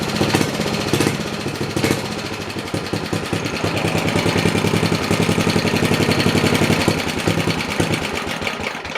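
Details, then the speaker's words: 1969 Briggs and Stratton Model 17 vertical-shaft 7 hp single-cylinder engine, warmed up and run at 3,600 rpm measured with an inductive tachometer: a steady, even beat with no rattle or connecting-rod knock and very little smoke, so it sounds good. "I put this little inductive tachometer up to it and wound it up to 3,600 RPM, and motor sounds good."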